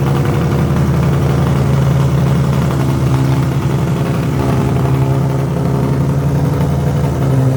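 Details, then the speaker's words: Widebody BMW E30 on MegaSquirt ECU with fuel pump rewired to factory wire, steady even idle with low constant hum, no knocks, misses or hunting; fan works, fuel pump cycles properly, timing not yet set; normal idle. "so now everything's good it idles it the fan works the fuel pump kicks on and off like it needs to"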